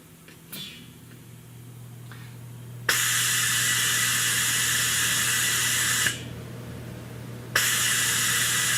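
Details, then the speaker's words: Hunter Road Force tire balancer with air nozzle clipped on, checking and setting tire pressure to 35 psi before a road force run: steady low hum, then long bursts of air hiss starting and stopping; normal operation. "I got this one here set at 35 pounds, and you hear the sound. I'm going to quit talking. When you take this out, now we clip it on, and it'll check our air pressure."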